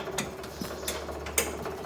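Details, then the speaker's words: 1967 Chevy El Camino with an L34 396 big block, barn-stored about 21 years: a small transfer pump pumping out old fuel hums with irregular metallic rattles, suspected to mean the tank is nearly empty (about two gallons). "i hear that fuel pump rattle on the way there maybe that means it's getting low let's hope so"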